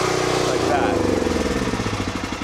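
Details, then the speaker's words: Westinghouse dual-fuel generator on propane, shut off by cutting the propane supply rather than the switch: engine note sags and firing pulses slow and spread as fuel runs out, winding down cleanly to a stop; normal shutdown. "you cut the source of propane okay"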